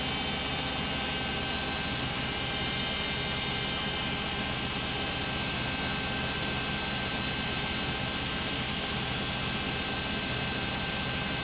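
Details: Beko WM5100W 5 kg washing machine found on the street, loaded with rags, on a spin of about 10 minutes. A constant loud roar and hiss through the whole spin without easing; unusually noisy spin, cause not confirmed.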